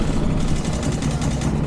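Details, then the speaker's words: Motorcycle engine with worsening loud clicking after overheating trip, shop repair failed: fast even ticking about twelve per second over deep steady idle; rider suspects a lifter, possible camshaft damage. "I don't know what it is, but it doesn't sound good."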